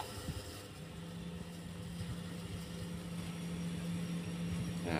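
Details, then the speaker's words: Two-door fridge, not cooling and compressor dead; overload and relay both faulty, compressor starting after replacement, current about 1.3 A and dropping: low steady hum, no clicking or cutting out; normal compressor start. "teman-teman hidup ya Nah udah hidup ya ampirnya 1,3 nanti dia turun ya"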